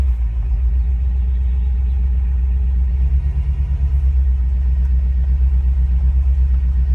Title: 2014 BMW m5 misfire